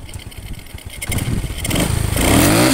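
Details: Honda Supra X 125/Karisma with the charging fuse removed and the red charging wires connected directly: Idle picks up smoothly into a clean, rising rev with no stumble or bog. Normal revving.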